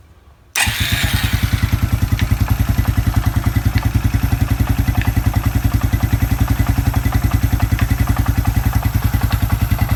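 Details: Suzuki Quad Runner 250 under restoration, exhaust system refitted: starts on first catch, steady even single-cylinder thump about 200 a minute, no misses or ticks; exhaust back to spec, healthy idle.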